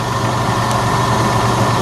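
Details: 2003 Jeep Liberty idling after alternator replacement, battery light off and charging at 13.9 volts; smooth, even low hum, no knocks, squeal or whine from the charging side; healthy idle, though it reportedly overheated and is low on water.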